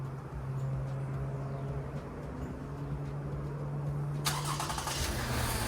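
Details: Car started after battery terminal cleaning and rinse on a neglected battery; steady low drone then quick clean catch into smooth even run with no lag: normal engine start.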